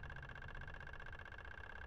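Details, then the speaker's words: Front-wheel-drive car, new EVAP purge solenoid after P0442, driven by scan tool test over a quiet idle: soft, fast, even ticking, quieter and less clicky than the failed one; normal. "so okay so maybe when it gets to 79 maybe that the valve is opening wider so therefore it can open at less intervals that's why you hear less clicking"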